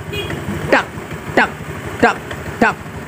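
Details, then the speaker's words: Honda Vario scooter, throttle blips from idle: sharp chattering clunk about one and a half per second with shaking when pulling away; likely secondary pulley problem in the CVT, clutch lining, clutch bell, spring or damper rubber. "itu kemungkinan besar menandakan ada bermasalah di bagian puli secondary ya entah itu di bagian kampasnya entah itu di bagian mangkoknya ya entah itu di bagian pernya ya"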